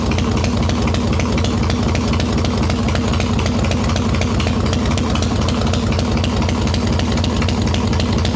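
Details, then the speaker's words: Harley Evo Softail V-twin, ice-cold start with no choke after fixing loose intake bolts, cracked vacuum cap and idle screw; idles steadily and evenly with low regular thump, mixture screw unchanged; normal cold idle. "already sounds a million times better no choke fired right up three squirts of fuel we not leaking holding a nice little idle"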